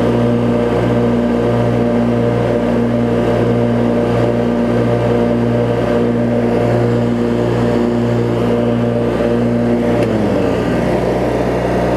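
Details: Craftsman riding mower, 19.5hp Briggs opposed twin, after governor, idle speed and carb cleaning (water, corrosion), hood on: even, steady drone without stumbles, settling smoothly to lower speed; smooth normal running.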